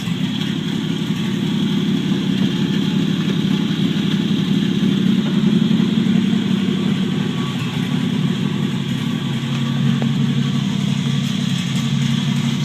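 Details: 1949 Chevrolet Deluxe 4-door, used replacement engine swapped in for a locked-up one, first start, no exhaust fitted, idling in gear: steady even idle with low uneven open-exhaust chuff holding its pace under load; normal idle.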